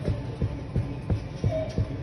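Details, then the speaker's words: BMW on a suspension shaker rig simulating rough road: regular dull low thumps, about three a second, from a knocking rear right shock absorber. "можно достаточно так задние правые хотя бы нашли явно Сток именно амортизатор бьёт бьёт амор"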